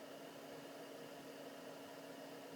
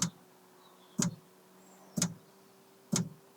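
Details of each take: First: Newly installed Planar/Autoterm diesel air heater in a campervan, first test run on high: steady airy fan rush with a faint constant tone and a very faint bassy thump, possibly from the fuel pump, running normally. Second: Planar/Autoterm diesel heater in a campervan on first test run: fuel dosing pump ticking sharply about once a second, quickening, loudly amplified by the side panel it's mounted on.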